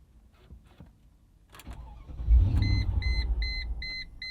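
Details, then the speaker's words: 2000 Mercedes-Benz ML55 AMG that has never run right, with interior and parts still unassembled; starter catches and the engine fires with a deep rumble over a chime, then dies within about two seconds. The owner suspects something is disconnected. "and it dies let's try it again it dies again try it one more time just immediately dies"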